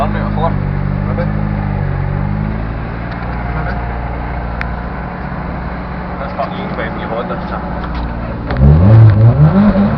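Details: Ford Focus RS on its first strip run, being assessed for a misfire: engine pulls hard but the exhaust note stutters and chops unevenly as revs build, a misfire under load; misfire was later fixed, then the clutch became an issue.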